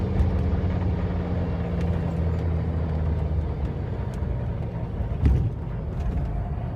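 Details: Mercedes 300SD diesel with two bad injectors: rough, lumpy idle with uneven clatter over the low rumble; diesel injector knock.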